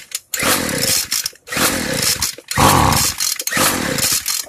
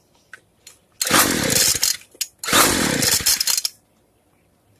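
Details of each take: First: Free two-stroke weedeater after low-speed carb screw opened too far: four rough blubbery revving bursts about a second each, near silence between; carb set too rich. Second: Two-stroke weedeater right after the carburetor reset (fuel screw closed fully, then opened 1/8 turn): it sputters in short bursts, then catches and holds a steady buzz that climbs slightly; running properly after carb adjustment.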